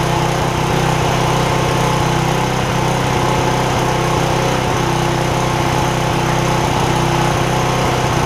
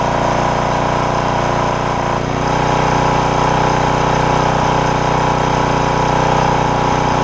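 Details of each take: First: 10 hp Briggs OHV single on a Porter Cable generator, after replacing a bent pushrod: steady chug about 150 beats a minute, slightly uneven, dipping now and then; mild surging, owner suspects damage from an earlier over-rev. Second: Porter Cable generator, Briggs OHV, after replacing a bent pushrod and fixing the governor that had stuck the throttle wide open; about 20 minutes running, steady constant-speed drone, faint occasional stumble or slight miss — normal governed run.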